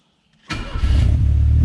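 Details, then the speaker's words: Turbo Chevette, first start of the morning: half a second of quiet, then the engine catches abruptly and settles into a deep, rough rumble. It never starts first try, and the owner sprayed K80 into the manifold. Hard cold start. "Nunca pega de primeira, né, mano? Cara, esse Chevette é uma novela pra ligar de manhã, viu, velho?"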